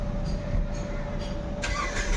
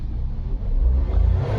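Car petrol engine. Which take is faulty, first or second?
first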